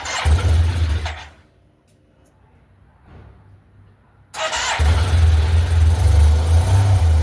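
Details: 2008 Yamaha T-Max XP500 ABS, first cold start at -1° after over three months stored with battery left in; catches, goes almost silent three seconds, then settles to steady even low idle thrum: normal cold start idle.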